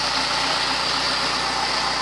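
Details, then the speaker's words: 2004 Yamaha FZ6, about 19,000 miles, all stock, idling long enough for the temperature gauge to rise slightly (warm): smooth constant idle with no rattles, ticks or hunting; normal warm idle. "oh by the way after idling for all that time it finally came up the temperature gauge just a little bit"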